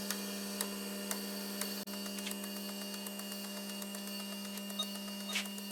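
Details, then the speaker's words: V6 turbo R5 replica fuel injectors on a test bench at 4 bar after ultrasonic cleaning, flows about 54 per test tube: fast, light, even clicking over steady pump hum; consistent pulses, injectors working properly. "Bon, donc là l'ultra c'est fini et bon maintenant j'ai refait le test. Donc vous allez voir. Donc je ferme je ferme les éprouvettes ici et j'envoie le test."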